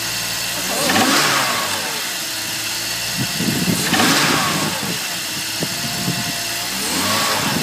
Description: Sound happens from cold on load 1500-2500rpm.